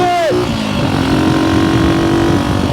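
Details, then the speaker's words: Vintage small motorcycle (Kawasaki KS125 or Honda C200) revived after decades sitting, ridden at about 30 mph: the single pulls cleanly through a gear change and holds an even, crisp beat over wind noise. Running well. "But oh, look at this. We're doing 30. This thing runs good. That was the reason why I didn't give up on this sucker."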